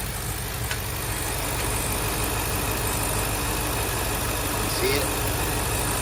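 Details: 2023 Ford Super Duty F350 7.3 Godzilla V8 after replacing a loose, wobbling upper idler pulley: steady, smooth idle with a faint even rhythm, no knocking or squeal from the front belt drive; normal idle.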